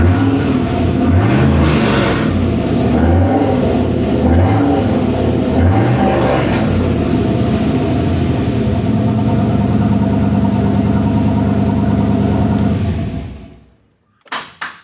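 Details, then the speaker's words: Freshly installed 6.2 LSA V8 in OBS truck, first start: fires, a few revs, then smooth fast even idle around 1100 rpm with oil pressure; sounds good, slight lifter noise mentioned. "It's idling about 1100, but man, that sounds really good."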